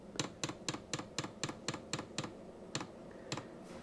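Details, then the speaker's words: Vevor Chinese diesel air heater after repair, startup: glow plug and fan preheat at low speed, then sharp light ticks about four per second as the fuel dosing pump begins feeding fuel; normal fuel pump ticking. "and that is the fuel pump which has now started to feed fuel into the system"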